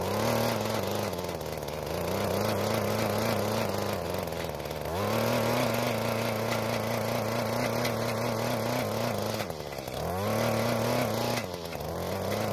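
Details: Mantis two-stroke tiller after carburetor adjustment, tilling hard dry ground under load; buzz dips as the tines bite and recovers, steadying once through the hard crust; engine pulls cleanly under load.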